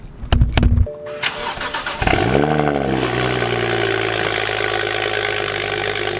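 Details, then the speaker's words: 2011 BMW 335i N55 with a VRSF single catback and 3.5-inch downpipe, cold start after oil filter housing and oil cooler gasket replacement, recorded near the ground: it catches cleanly, flares to about 1300 rpm and settles evenly. Loud; healthy. "Dude, that is actually so loud. And I mean, other than it revving to like 1300 RPM, sounded fine. It's also not doing any weird like stuttering on startup or idle, so that's good."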